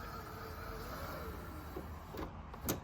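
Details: Roland BN-20 printer carriage pushed left and right after rail cleaned with alcohol and oiled with 3-in-One to cure noise; soft even hiss with a few brief knocks.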